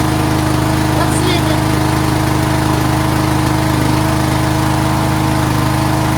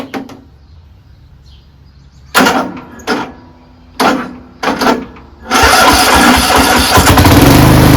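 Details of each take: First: Craftsman 13.5HP 30-inch riding mower idling after a valve lash adjustment and on a rejuvenated battery: steady, even, unbroken single-cylinder thrum; running cleanly. Charging was later seen running high, about 15 volts. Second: Craftsman 13.5HP 30-inch riding mower starting on an overnight-charged battery: three or four short cranking bursts before it catches and runs steadily; history of hard starting, owner suspects valves need slight lash adjustment.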